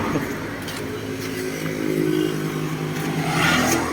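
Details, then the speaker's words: Honda Wave 125i LED motorcycle idling gives sharp knocks from the clutch side when shifting into gear; the clutch adjustment is likely too tight, so it is loosened and readjusted. "เวลาเราเข้าเกียร์นะครับจะดังอยู่บริเวณนี้นะ"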